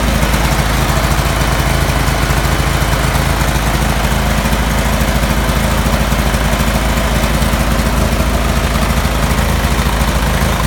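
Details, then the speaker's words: Cub Cadet 3184 with Kohler CH18 18 hp twin: uneven, loping idle with irregular pulses and a dominant low chug; rough idle, cause unclear. "Cub Cadet 3184 with a Kohler 18 horse CH18 weird idling issue."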